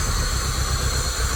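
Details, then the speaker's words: Peugeot 306 cabrio, 2000 (owner says 1998), no-start diagnosis: with fuel pump disconnected the engine unexpectedly starts and runs with a short, rough, steady low rumble; cause unknown. "Як ми бачимо, вона завелась. Чого я представления не маю. Насос отключённый, но запуск був."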